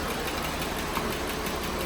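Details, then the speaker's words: Jeep Wrangler JL 3.6L idling: fast, even, light ticking from bank one, loudest at cylinder five near the PCV by stethoscope; suspected worn rocker arm roller, intake camshaft and rocker arm to be replaced. "Then went to cylinder three, I was starting to hear it get louder, but as soon as I got to cylinder five, I could I could just hear the ticking right there in the back end."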